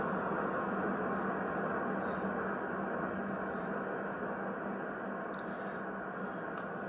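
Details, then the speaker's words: Hallicrafters SX-117 receiver after bandswitch cleaning and calibration, on 15 meters: steady band hiss with faint warbling FT8 digital tones, no crackle or dropouts. Normal reception, calibration good (10 m band not working). "There's FT8. And when you go to 20, it should hear FT8 also. So when I go to 20 and peak it up, that means it's calibrated well."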